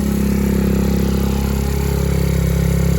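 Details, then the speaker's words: Recovered stolen moped right after first-kick cold start at about 42°F; low steady two-stroke putter with even beat, no knocks or rattles; owner thinks exhaust smoke is from cold; idling fine. "it sounds pretty good i don't know if you guys can see this but there's smoke coming out the back but i'm pretty sure it's because it's cold outside"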